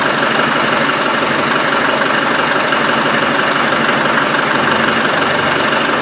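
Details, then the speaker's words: Land Rover Defender 110 Tdi diesel, exhaust refitted, run briefly without coolant after a security-system starting problem: steady, even idle clatter with no hunting or extra knocks; the earlier back pressure is gone. "fires look okay there's no problem with it and there's no back pressure"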